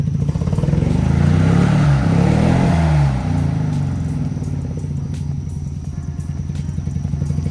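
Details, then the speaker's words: Mazda RX-7 FB GSL-SE rotary, first start in 16 years, third try: idle pitch wanders up and down then settles into uneven burble; unstable idle, owner suspects idle air needs cleaning, unconfirmed. "idle air could probably use a little bit of a cleaning seems like it but I don't know of course it's old"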